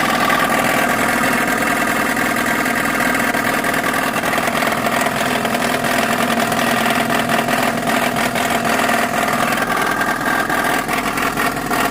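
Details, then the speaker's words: Geo Tracker engine after an off-road trail: loud, rough running with a hard, repetitive knocking at idle and on revs. The owner is pretty sure it is engine-related but unconfirmed; the valve cover is to be removed for inspection. "That's not good. Still not 100% sure what it is, but I'm pretty sure it's engine related."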